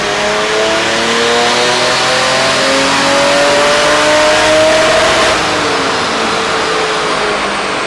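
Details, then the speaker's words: 2JZ-swapped Nissan 350Z on pump gas with ECUMaster standalone, dyno pull at base boost with no boost controller: steadily climbing scream, then clean bounce off the limiter without a bang; soft cut starts about 200 rpm early, slightly dropping power. "i expected a little drop because i added in a soft rev limiter cut um so that started cutting power like 200 rpms before the rev limiter so that makes sense that it dropped just a little bit of power but you could hear that we did actually hit the rev limiter"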